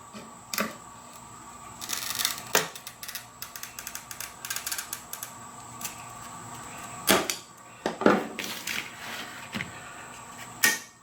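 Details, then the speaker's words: Toyo TC-600 oil-reservoir glass cutter run along a wide straight edge with moderate, continuous pressure: a short, crisp, even scratching run, then a clean sharp snap. Normal scoring and a clean break. "just use a moderate pressure continuous pressure onto the glass and what you want to do is hear that that constant creaking sound and you get a pretty clean break there"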